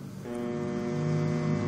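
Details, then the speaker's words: Homemade growler built from a microwave transformer's primary coil gives a steady low electrical hum with a buzzy edge, growing louder when an armature is placed on it; normal growler operation. "Ils l'appellent ainsi parce qu'il fait du bruit lorsqu'il est branché. fait ce bruit. Y a-t-il quelque chose si vous l'écoutez ? et quand vous lui mettez une armure, cela le rend plus fort."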